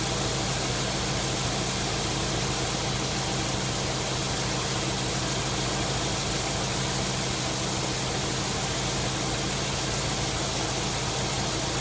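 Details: 1999 Subaru WRX GF8, EJ205 turbo flat-four, at operating temperature after a coolant flush, cap on and system under pressure, running until the fans cycle: smooth, steady idle with an even low hum, no ticks, knocks or hunting; normal idle.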